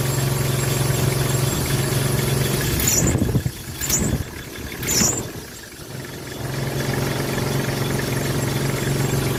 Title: squeaky sound #belt #car #engine #mechanic